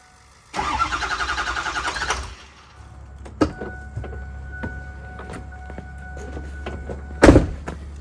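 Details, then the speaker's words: 2006 Ford F350 6.0L Power Stroke diesel, after new fuel pump: starter cranks evenly about a second and a half, no catch, low hum follows; no start, owner suspects vapor lock, fuel bowl found completely dry. "I'm going to take the fuel bowl cover off on the front and I'm going to see make sure I'm getting fuel I think there's a big vapor lock up in there"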